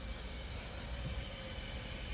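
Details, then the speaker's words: Leak-down test pressurized to 100 on a healthy engine, gauge reading in the good 90–100 range: a steady, even hiss with no pulsing, heard coming out of the intake. The intake valve may be slightly open, possibly because the piston was not exactly at top dead center. "and it's it's coming out the intake i can hear it so we may have just barely gotten that intake valve open"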